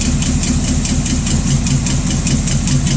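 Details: Rat rod engine at a steady idle with a light, quick tick of about two or three per second from the valve train, first taken for a sticking lifter. Removing the valve cover revealed a bent pushrod.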